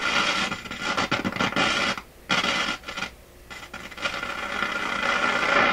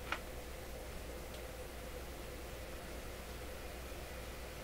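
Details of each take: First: Florida AM/FM/SW tube radio on the AM band: harsh irregular crackling and scratching over the hiss, cutting in and out. AM tuning capacitor plates short near full mesh; after screw adjustment the short remains only at the very bottom of the band. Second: Florida AM/FM/SW tube radio, after replacing an open resistor in the audio preamp plate circuit: soft, steady FM interstation hiss with brief clicks and no hum; tubes were popping at switch-on.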